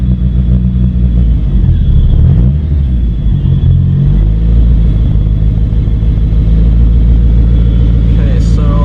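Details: DSM Talon after a head gasket and transmission rebuild, idle air valve replaced by a block-off plate, running rich: loud, uneven idle with revs wandering and a hiss; can't hold idle, possibly an air leak.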